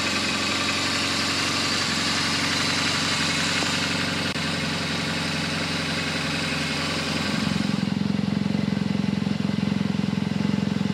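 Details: BMW R1200GS Hexhead boxer at 100,000 km service, after rocker arm end play and spark plug work: even, steady warm-up idle with a smooth unbroken beat settling slightly lower; sounds healthy.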